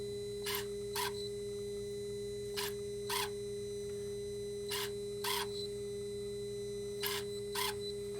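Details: Dodge/Mercedes Sprinter, new turbo boost-pressure actuator after code 2510 limp mode, scan-tool commanded positions; short buzzing motor bursts in pairs every couple seconds over steady hum, lever moving cleanly; normal actuator operation.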